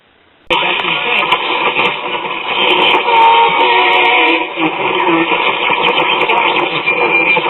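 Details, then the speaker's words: RCA Institutes AM tube radio after repairs, on a piece of wire antenna: station plays clearly over steady hiss, reception restored; owner notes some oscillation between stations still to fix. "all right that's what i want to hear although it sounds like we have some oscillation going on between stations so i guess that'll be another problem we have to tackle but it's not going to be tonight"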